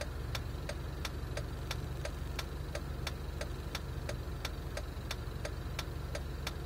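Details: Jeep at idle: sharp, regular tick about three times a second over an uneven rumble; rough idle.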